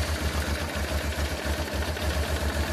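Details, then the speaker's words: Honda Transalp V-twin, about a 1996 model, idling unevenly with small stumbles, as the gauge also shows; runs lean because the carburetor air-fuel mixture screws are set wrong, and the fix is adjusting those screws. "as you see from the gauge or even from the sound of the engine, the working idle is very unstable."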